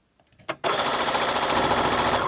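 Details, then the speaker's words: Brother CS6000i sewing machine, after realigning gears that had stopped reverse, stitching forward: fast, even needle chatter with no knocks or catches, running normally. "now she's gonna test it going forward"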